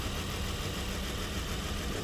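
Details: Nissan Murano V6 with severe misfire and jerking, tested on scan tool power balance: uneven idle with irregular stumble breaking the beat; cylinders 3 and 4 not working.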